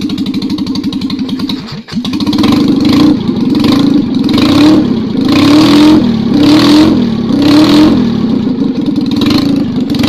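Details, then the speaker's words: Citroën 2CV engine rebuilt as 652cc conversion, Solex twin-choke rejetted, 123 ignition fitted, first start with no exhaust, not cold; loud, even, rasping beat rising and falling cleanly through throttle blips, runs and revs healthily. "I think we can call that success"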